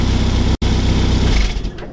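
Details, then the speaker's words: 1989 Classic Mini Mayfair with a genuine 2,000 miles, idling: a puffing chuff on each exhaust beat after the exhaust was refitted. It is blowing at the manifold-to-downpipe join, and covering the tailpipe by hand fails to build pressure. "where's min-cut is right on this join here so when the exhaust been refitted it's got a bit of a blow [Music] you can hear that golf blow"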